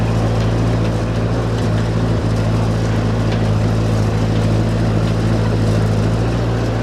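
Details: Ford 8N tractor (circa 1948–52), driven under load after getting it running again, sounds good: a steady, even low drone at about three and a half beats a second, with no popping or cutting out, so it pulls cleanly.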